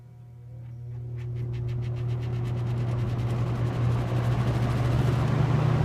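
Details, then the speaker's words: New-old-stock late-1970s Superlectric box fan with plastic-shelled motor on low, possibly slow until warmed up: steady low hum with even blade swish and only the faintest whine; runs normally. "it runs a little faster than the other one yourself and this one's really low on low maybe until it warms up it does have a bit of a motor wine but it's very faint"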